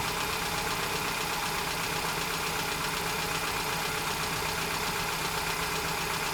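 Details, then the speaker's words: 2010 Hyundai Getz 1.1 at idle before valve clearance adjustment: light, fast ticking about four per second over a steady idle, valve chatter from incorrect clearance. "So ito yung tunog ng makina before ko ito i-adjust."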